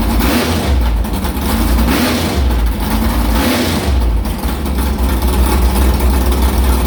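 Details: Carbureted V8 hot rod after the Prosystems carb's idle air bleeds were changed from .070 to .055 following a track carb issue, ~80°F day; lumpy idle with quick throttle blips climbing cleanly and settling without stumbling, normal idle and revving.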